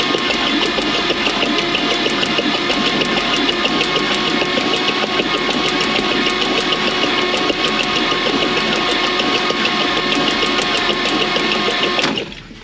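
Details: 1949 Chevrolet Advance Design truck engine, first start after 30+ years, jumped from another truck, fuel drawn through carb: fast uneven ticking buzz from coil over ragged running that cuts out; owner suspects points or coil wire.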